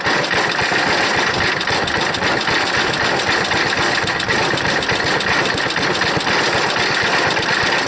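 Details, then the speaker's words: Small engine on a wood chipper at full throttle after choking: busy, uneven sputtering chatter at fast idle. It is smoky, leaks and drips fuel, and has no air filter; the owner suspects a bad float and a dirty carburetor needing cleaning. Rough running. "it's sputtering i'm not sure give that full throttle and see what i can do here it's some serious compression oh i'm going to work at that a minute that it sounds like a sputter but boy that's a job pulling it"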